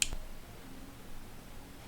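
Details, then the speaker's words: Harman Kardon SUB TS-15 subwoofer amplifier after repair (faulty capacitors replaced, circuits repaired, switches and potentiometer cleaned): one sharp relay click at power-up, then quiet steady background; relay pulls in cleanly, works normally. "On entend le relais enclenché. Ça fonctionne. Tout est parfait."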